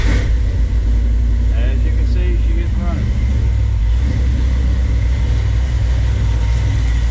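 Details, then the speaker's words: Dodge D150 with cammed 5.9 Magnum V8 on Holley EFI, first start on base tune after one lifter replaced: deep, even burble at idle with no lifter tick; normal idle. "running now I do not have the Bell up but running pretty decent as you can see it's running pretty good I don't have a lifter tick anymore which is awesome"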